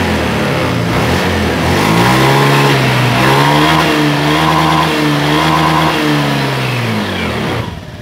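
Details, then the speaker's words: Honda Beat FI scooter, idle unstable after a service, sometimes high and sometimes low, attributed to an IACV sensor error: idle swings up and down every second or so without settling; hunting idle from faulty idle air control valve. "Tetapi motor ini terkadang tinggi stasionernya. Maksudnya gasnya tinggi dan juga kecil."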